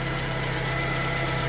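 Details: 2012 Toyota Camry at idle, alternator under test: steady low hum with a faint constant high whine. Voltage reads about 12.5 V and drops fast with lights and heat on. Humming at idle, suspected bad alternator.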